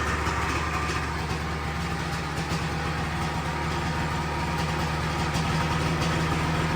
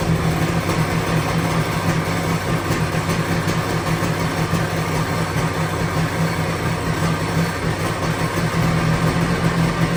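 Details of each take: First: 1997 Sea-Doo XP 800 two-stroke, sat for years, carbs rebuilt from fully disassembled, after adjustment: steady, even burble at constant speed with no misses, no big white smoke; idling close to normal. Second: 1997 Sea-Doo XP 800 two-stroke, revived after sitting years with rebuilt carbs, idle being adjusted; steady, loud, slightly lumpy idle sitting a bit low, needs idle screw turned up a smidge; idle speed set too low.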